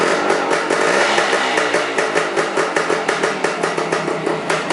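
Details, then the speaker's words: Suzuki motorcycle after basic restoration, carb idle left at original setting: even, crisp ticking pulses at about five a second, steady beat with no misses or rattles; normal idle. "pretty cool I didn't even adjust the idle on the carb or anything just put it right back the way it was when I tore it apart chugging right along sounds good"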